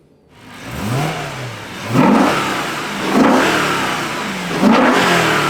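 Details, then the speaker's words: Rebuilt S65 V8 in a 2011 BMW E92 M3 (formerly blown engine, BE rod bearings) after 1,000 km of running-in: three sharp throttle blips rise crisply and settle to a steady idle, smooth and healthy. "It's mint. We got it a bit dirty, but the engine sounds wonderful. Smooth as silk. Very clean. Very good."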